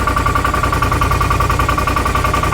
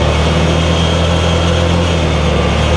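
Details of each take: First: 2018 Odes Dominator 1000 X2 LT twin with lack of power and a 24 mph top speed: lumpy, uneven idle with an off-beat pulse. The rear cylinder is not firing and stays cold (front 200, rear 102); a bad spark plug or number two coil is suspected. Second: 2018 Odes Dominator 1000 X2 LT UTV on the road after new spark plugs, previously down on power and limited to about 24 mph: smooth pull with rising pitch under throttle, no stumble or misfire; fixed.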